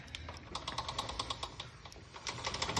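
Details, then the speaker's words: Yamaha Blaster quad rolling: quick uneven metallic clicks from drive chain rubbing on bare metal where the worn-through bottom chain roller should be; new bottom roller bought to fix it. "That is the chain rubbing on where the bottom roller is supposed to be. You see it's just metal there. It must have wore through the roller like it's doing up here."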